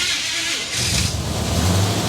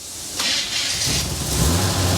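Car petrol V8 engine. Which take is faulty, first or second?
second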